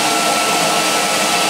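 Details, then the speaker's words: Electrolux XII vacuum first run after switch repair, before strip-down: steady even motor roar with faint constant tone, no surging or rattles; motor runs well, whisper quiet. "so that's amazed what an Electrolux should sound my smooth whisper quiet"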